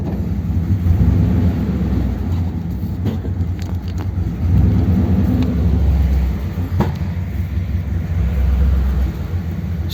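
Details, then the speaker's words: 1957 Ford Thunderbird on the road after original parts were reinstated: under road rumble the engine stumbles and pulses irregularly, clearly misfiring. It isn't pushing fuel out; flooding was suspected earlier, and the cause is unknown. "definitely misfiring isn't it but it's actually running and it's not brushing fuel out so I don't know why it's running badly"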